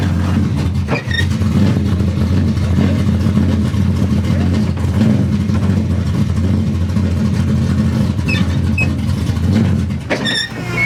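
Engine catches and holds a steady, even low rumble for several seconds without stumbling or grinding; runs fine.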